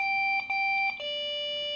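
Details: Desktop PC that suddenly won't boot: steady high beeps in quick runs with short gaps and a pitch change, repeating over and over; a beep code at failed start-up.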